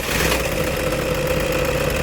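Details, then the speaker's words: Toyota Innova diesel idling after water pump replacement (timing removed, old fan-motor stud reused on new pump); smooth, even idle with usual light clatter, no squeal or knock, sounds healthy. "നല്ല ഇന്നോവയുടെ correct noise ആയിട്ടുണ്ട് sound ആയിട്ടുണ്ട്"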